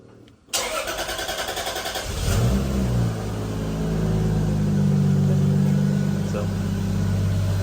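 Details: Toyota Aristo/Lexus GS after a drop-in high-output fuel pump install, hardwired with a relay and 20 A inline fuse, still being tuned for cold start: starter cranks with a quick rhythmic chug about two seconds, then the engine catches and idles steadily.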